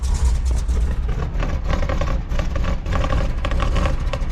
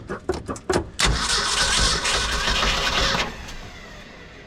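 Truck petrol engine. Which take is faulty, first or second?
second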